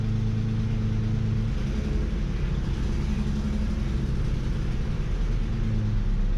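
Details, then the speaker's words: After replacing the alternator (the battery warning light had been flashing on the dash at every start), the engine starts and runs with a steady, even low rumble and no knocks, squeals or misses; normal running. "okay so far it's doing good"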